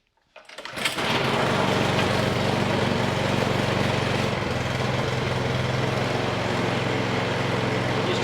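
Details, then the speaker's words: Troy Bilt 2410 snow thrower after no-start repair, started on choke at 3/4 throttle. The small single-cylinder engine catches within a second and runs steadily with no misses. Running well, but contaminated oil is still to be changed. "Okay, so the engine is running very good."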